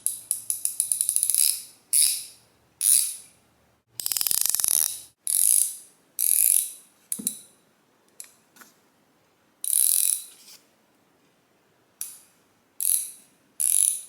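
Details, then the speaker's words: Brand-new Harbor Freight ICON 3/8-drive 10¼-inch swivel head ratchet after disassembly, cleaning and greasing (was bone dry, steel on steel): fine, even, soft clicks, now sounding buffered by lubrication; normal ratchet clicking. "well to my ear it sounds like it's got more of a buffer in it like some kind of a lubrication between the steel parts"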